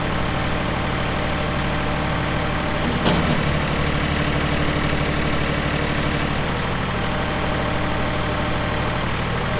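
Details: 2018 Massey Ferguson 2605H 4WD tractor, 310 hours, 8-speed mechanical shuttle, 911X loader, during operational run: even, steady diesel chug with a low firm beat, no knocking or stumbling; healthy.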